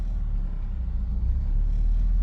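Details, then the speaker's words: BMW X5 E70 with a drivetrain malfunction warning: after a rev, a low idle rumble sags toward 1,000 rpm or below, nearly stalling, then recovers; the rough hunting idle is caused by faulty VANOS solenoids. "I'll rev it and then it's going to go to one and you're going to hear it kind of go down and it'll come back up"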